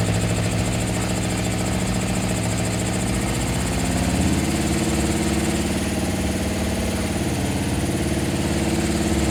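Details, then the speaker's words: 1974 Honda CB750, rebuilt carbs, just after carb and throttle adjustment: a smooth, even four-cylinder idle that picks up cleanly on throttle blips and settles back, with no fuel or oil leaking. Running healthy. "Running beautifully. Yeah. Yeah, I don't see any gas leaking out of it."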